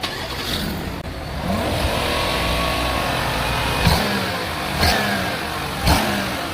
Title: accelerator making noise#engine #viral #viralvideo